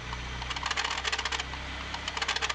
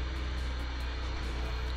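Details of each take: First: 1990 BMW E30 318is A/C compressor V-belt demonstrated too loose: chirping squeaky squeal in quick bursts over a low engine hum; belt slipping, belt or tensioner should be replaced. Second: 1990 BMW E30 318is after replacing the A/C compressor V-belt, engine idling and checked with A/C and steering load: runs steady and even with no squeal or chirp from the belt; belt drive sounds normal.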